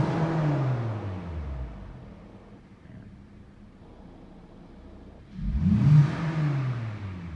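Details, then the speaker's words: Hyundai Sonata after a P1326 knock sensor fault was fixed, with the check engine light now off. Two quick blips climb cleanly past the old ceiling of about 2 (×1000 rpm) and drop back to a quiet idle; the engine revs freely. "Ayan, ayos na guys, pumapalo na, dati hanggang 2 lang yan. Okay na."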